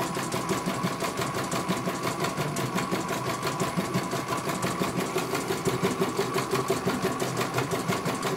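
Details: CNY computerized embroidery machine stitching a test design. Regular needle ticking about once a second over a light motor hum. It finishes one color and the technician calls it very good.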